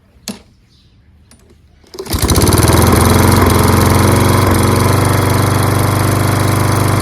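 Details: Toro Recycler self-propelled mower, Kohler XT675 6.75 engine, after rusty flywheel and fouled plug fix and washing: fires on the first pull and settles into a strong, even, steady run with no misses. Normal running.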